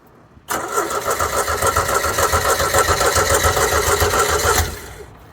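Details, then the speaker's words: Caravelle boat engine, first start of the year, not run since last summer: about four seconds of rhythmic cranking that never catches; starting fluid planned, primer ball later found as a problem. "it sounded like she wanted to try right there did you hear that we should get some starting fluid and retry"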